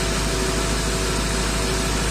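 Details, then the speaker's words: 2006 Ford F350 6.0 diesel after clearing debris from the injection pressure regulator: starts and holds a steady, even idle clatter with no stumbles, pressure 1300 desired and actual; healthy. "Try cranking it again. I guess we just had to build up oil pressure."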